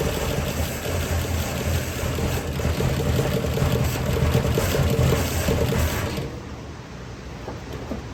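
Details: 1972 Chevy C10 small-block, first start after rescue with plug wires cleaned up and a better starter fitted: uneven, wavering idle before shutting off. Owner suspects ignition timing, not set exactly; plans to adjust the distributor.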